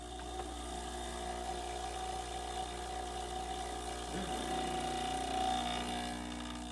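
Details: Breville espresso machine after service (buzzing noise and low pressure before; leaking gaskets replaced): steady even pump hum during double-shot test, no buzzing or sputter; normal pump operation.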